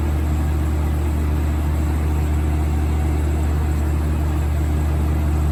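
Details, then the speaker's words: 1980s Super dehumidifier with R-12 refrigerant, final test after fan motor replacement, grille and bucket fitted: constant deep hum with steady fan rush, no rattles or pitch changes; getting cold, compressor and fan running healthy. "here it goes [Music] oh yeah that's moving a lot of air [Music] [Music] that's getting cold already oh yeah"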